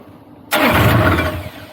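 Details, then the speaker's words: Niftylift HR17N/SP50N diesel engine with error 27 CAN bus fault, which started randomly and would not shut off. After the DST wire was reconnected it gives a brief crank and a prompt, clean start into an even idle. "alright that sounded good no more starting on zone runs now"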